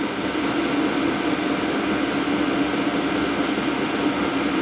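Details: Diesel heater after burning out burn-chamber crud left by diesel mixed with waste motor oil, pump setting 4.8 Hz, reading about 57 versus roughly 40–42 before cleaning: steady even fan and burner roar, no pulsing or sputter; running normally.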